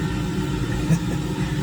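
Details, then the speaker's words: Diesel air heater in Ford F350 truck camper, first working after persistent fuel pump error: steady low rumble with soft even pulse, no sputter; normal running. "Well, it's been a long time coming, but what that noise you hear is the heater"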